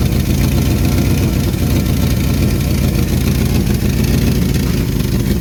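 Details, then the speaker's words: 1974 Ford Bumpside 1-ton, FE 360 V8 with rebuilt Motorcraft 2-barrel: low heavy idle rising and sagging instead of holding steady; hunting idle, vacuum leak suspected or fuel pump not keeping up, not confirmed. "It's hunting a little bit. Kind of makes me think maybe there might be a vacuum leak in there."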